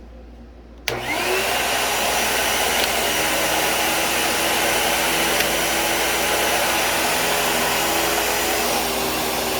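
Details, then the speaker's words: 2012 Bissell vacuum (rating label u5140900), about ten years old and needing a belt: steady high motor whine with a rough, scratchy brush-roll undertone. The brush is noisy but works and needs cleanup. "and the brush will make some noise as you can hear but it's definitely functional just needs a little bit of a cleanup and it'll be fine"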